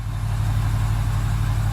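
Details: 2006 Ford 6.0 Powerstroke diesel idling right after the IPR sensor rebuild fixed its crank-no-start with codes P2285/P2286: deep, even, steady drone with no misses or knocks.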